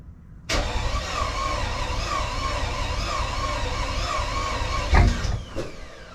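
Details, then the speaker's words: Car started in the garage after oil-leak repair, with an earlier two-cylinder misfire: engine catches after a short crank, then idles with an uneven, lumpy beat, sounding like half the cylinders missing; misfire at cold start. "sounds like [ __ ] why does that sound like [ __ ] put your old Scantron on it see what it says sounds that's half the cylinders"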